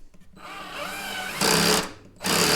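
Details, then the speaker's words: Black and Decker LDX120 drill driving a screw into a 2x4 on torque setting 1: motor spins up, then rapid ratcheting clatter bursts as the clutch slips because there is not enough torque. "so yeah you could hear how it's clicking because we don't have enough torque"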